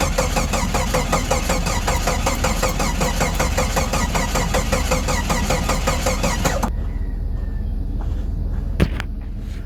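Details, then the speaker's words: 1989 Jeep Comanche 4.0 automatic 2WD cold start: starter churns steadily about seven seconds without a single catch, then stops; cranks but won't start, though it started yesterday on a jumper box. Cause unconfirmed. "Yesterday she started with no trouble. I put the jumper box to it and it just fucking started. Now she doesn't appear to want to start. I don't get it."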